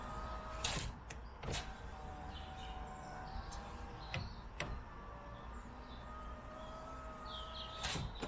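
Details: Peugeot 107 power window that jammed when closing, fixed with silicone spray in the glass channels: several clean up-and-down runs with a steady motor hum and soft thuds at the stops. The window moves smoothly without jamming.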